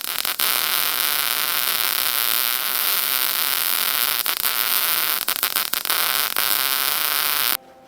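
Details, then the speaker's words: Lincoln SP135 Plus MIG welder after repair of an intermittently failing gas valve: strong steady hiss of shielding gas flowing without sputter, then a clean cutoff, where before nothing was heard; the gas valve now works properly. "you can hear the gas go there before we could hear nothing"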